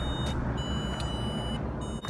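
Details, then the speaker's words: Car won't start: high steady electronic beeps switching on and off over a low rumble from a PassTime starter-interrupt GPS tracker device left installed by the dealer, blocking the start. "so if you hear that sound and you're wondering why and your car don't start that is why"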